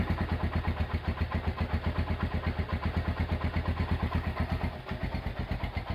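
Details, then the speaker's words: Honda GL100 single-cylinder motorcycle engine after a rebuild, valve clearance set to 0.10: idles with a steady, even thump and light top-end clatter, smooth and normal. "Oke, itu dia hasil peremajaan mesin Honda GL100 ya. Untuk suara mesin halus dan enak ya."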